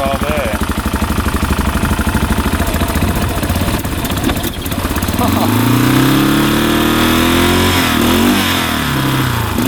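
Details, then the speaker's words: 1989 Yamaha Big Bear 350 4x4 ATV after timing chain and starter one-way clutch bearing work (carburetor ruled out): starts right up, settles to an even idle, then revs out cleanly without breaking up; running right. "perfect you could hear it start right up you could hear him giving a throttle and it was breaking up in the beginning and all of a sudden it would rev out and now it's revving out completely every time you start it up and it's running perfect"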